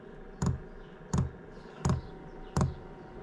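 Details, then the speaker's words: Diesel night heater fuel dosing pump in a Ford Transit camper van, heard from inside, pulling fuel from the tank via filter under the van; steady, even ticks about 85 a minute, starting after about 30 seconds of fan running; loud, normal operation. "That's sucking fuel from in here, through the filter, down under the van, and into the bottom of this. It's pretty noisy."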